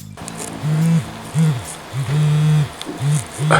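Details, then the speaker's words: Aquafresh Extreme Clean Interdental Power battery electric toothbrush after battery replacement: steady low motor buzz cutting in and out in short bursts; restarts when bent or twisted, owner suspects parts displaced during battery replacement, unconfirmed. "Yeah, sometimes I get a vibration out of it and sometimes not."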